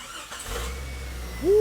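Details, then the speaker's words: Caleb's Jeep after replacing a failed ignition coil that caused a no-start, before A/C recharge: brief crank, catches at once, settles to steady even low idle; starts cleanly. "before we charge it let's just make sure that that the engine starts and and then we continue"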